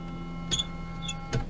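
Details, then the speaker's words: Fiat Panda Mk3 1.1 with 31,808 miles: faint motor hum with two short squeaky strokes about a second apart as the rear wiper sweeps; blade chattering on the glass, likely little-used and may need a new blade. "it might need a new wiper blade nice view though that's a cracking noise uh it is a lovely view yeah um but uh yeah that sounds like a wiper that hasn't seen much use in its thirty one thousand eight hundred and eight miles"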